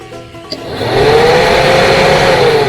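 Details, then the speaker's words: Heater blower fan motor bench-tested directly on battery leads: a click, then quick spin-up to a smooth, steady whir with no scraping; motor is good, the wire to the switch is suspected instead. "now I've determined that the fan is good which is good that means I don't have to go buy a new fan"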